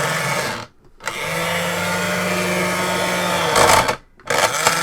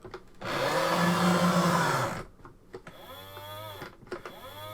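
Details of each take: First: Sega Video Driver toy, gearbox running after a deformed part that jammed the mechanism was removed: loud droning whir in bursts, each starting and stopping cleanly, like an upset cow mooing; runs without jamming. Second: Sega video driver toy car with fresh batteries, steered from its wheel: loud coarse grinding, then it jams with a strained whine. Loose motor gear grinding and jamming the drive.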